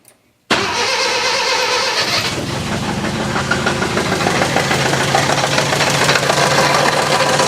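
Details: 1966 Datsun 520 truck abandoned 40 years, first start on electric fuel pump in about 12-degree wind chill: catches quickly into a rough, busy idle with a loose clatter; owner believes clutch and flywheel settling, not a rod.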